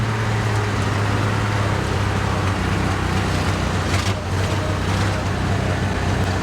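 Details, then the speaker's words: 1951 Chevrolet Advanced Design farm truck, straight-pipe 235 inline-six, bump-started after long storage, in gear: deep, even low rumble from the open exhaust with no knocks or misses; normal running, straight-pipe exhaust. "Straight pipe 235. Top notch. Does not disappoint."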